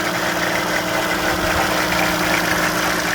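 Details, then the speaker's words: 2005 VW Touareg 3.2 V6 (BMV), warm engine: uneven light tapping over the idle hum, heard only around 1000–1300 rpm; drive belt removed, so accessories are ruled out; owner suspects cam phasers. Low-speed knock, cause not confirmed. "и он держится только на оборотах 1200 1300 дальше как бы уже не совсем слышно"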